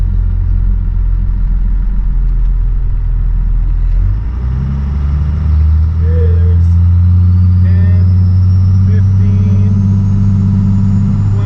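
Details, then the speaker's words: 12-valve Cummins diesel truck with compound turbos, warmed up, after long-fought boost leaks finally sealed: boosted launch through the gears, deep drone pulling cleanly with no hiss or flutter; crisp off-idle response, running great. "yeah she's feeling pretty good all right folks well uh that is definitely one in the win column i've been fighting boost leaks on this thing forever so nice to have that thing sealed up"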